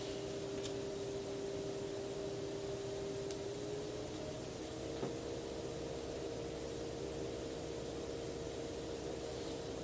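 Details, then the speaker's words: Enermax NeoChanger pump at about 3,500 rpm, microphone held close: steady mid-pitched hum stepping slightly higher over a soft hiss. Pump noise is noticeable but normal. "at this speed the pump noise is definitely a parent you can hear it but if you're not one to really care about acoustics like that it won't bother you but it's definitely noticeable"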